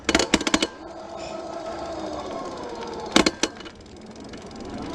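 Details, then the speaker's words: Super73 R electric fat-tire bike on a dirt trail: after an unexplained rattle, short bursts of rapid clacking, then a falling motor whine. The motor was spinning freely without driving the rear wheel, cause unknown. "the motor was spinning but the tire was not engaged so no idea what that's all about how why but it happened"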